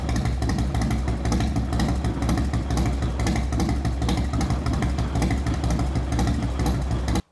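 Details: 1998 Harley-Davidson Fatboy Street Stalker V-twin started right after a full service with fresh Amsoil engine, transmission and primary oils and a new filter: deep, even loping idle for about seven seconds before shutoff, no ticking or clatter; healthy engine.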